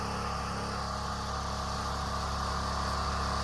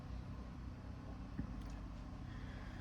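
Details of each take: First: Generator engine after fitting a thicker, tighter-than-factory spring: it holds a steady, fast, somewhat strained drone, running faster than it should; owner suspects the spring and hopes it may stretch back to normal. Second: Generator engine after moving the spring two holes over: a steady, even low hum with no surging or hunting, holding a smooth governed speed and noticeably quieter.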